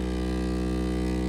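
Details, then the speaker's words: Ender 3 3D printer, Y-axis: the endstop switch broke, so the stepper kept driving backward past the end of travel, giving a harsh, steady stalled buzzing drone with no motion rhythm. "So basically, my print bit did not know when to stop and kept moving backward when it had already reached the end. And that awful noise was the"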